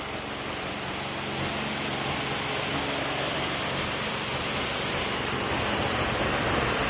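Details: Mazda RX-7 NA rotary engine at idle with a deliberately made, very minor vacuum leak at the lower intake manifold from an incompletely sealed ACV block-off plate: uneven, stumbling, misfiring idle with a hissy ragged edge; car dies once at operating temperature.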